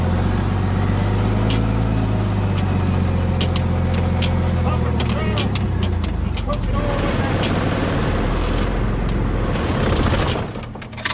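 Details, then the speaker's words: 2000 Dodge Ram 2500 with 5.9 Cummins diesel, 5-speed, after sitting three years; fires and clatters unevenly for several seconds on ether only, then dies, owner suspects no fuel reaching the injectors. "Dang it. Well, it started, but it's not getting fuel."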